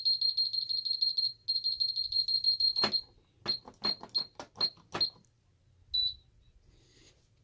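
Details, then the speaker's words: Ademco 6139R alarm keypad giving fast, high-pitched trouble beeps in two bursts, warning of a bell/siren circuit failure. "And there's your very anonymous and very annoying bell failure now."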